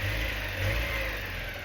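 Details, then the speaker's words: Porsche 944, first start of restoration after new crankshaft position sensor; initial misfire cured by tapping on the injector: short steady run with even, smooth note and no stumble; engine now healthy. "Dude, I think we have ourselves a running 944."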